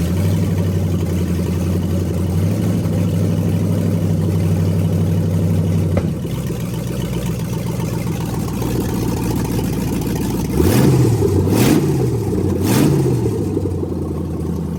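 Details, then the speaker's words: LS-swapped BMW E46, rebuilt LS1 V8 first start-up: deep, even idle rising cleanly through three sharp blips and settling back with no knocks or misses; normal running. "I kind of items kind of nice though honestly sounds good one more time"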